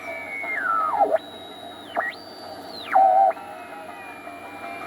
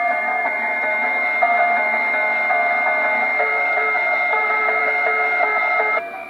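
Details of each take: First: Crosley 157 antique console tube radio with temporary replacement electrolytics, first power-up: clean gliding whistles sweep in pitch as the dial crosses a station over faint hum; tuning heterodyne squeal, signal path working. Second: Crosley 157 antique console radio fired up on a current-limiting bulb with temporary replacement electrolytics: clear station audio with steady tones and no hum or crackle. The whole signal path is working.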